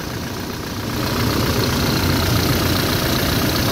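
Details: Toyota 1GD diesel at idle after replacing a noisy alternator bearing: even, steady clatter, now quiet with no whine or grinding from the accessory drive.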